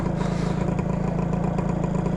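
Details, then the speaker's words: 120cc stroker Honda Elite two-stroke scooter being ridden after a needle-clip change and a fresh plug: a buzzy, burbly, uneven drone at light throttle with no crisp pickup, and the front end lifts; running very rich on the bottom end. "dude it just picks the front end up it's so rich on the bottom end this thing is crazy"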